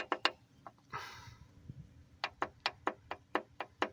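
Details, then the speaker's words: Engine off, crankshaft turned by hand with mains already done: sharp metallic clicks about four a second, heard away from bottom dead center but not at it. The knock comes from a loose connecting rod that turned bluish; the rod needs replacing. "when you put it um to the bottom dead center I guess cuz of the weight or something you don't hear it but when you get to this position that when you hear it"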